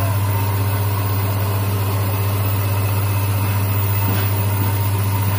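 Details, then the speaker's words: Hyundai Accent (Avega/Verna) that would not crank, after replacing the shorted, burnt starter motor: even steady low hum with no knocks or misses; healthy idle, charging 14.6 V. "Nah hidup ya, ternyata dinamo starter."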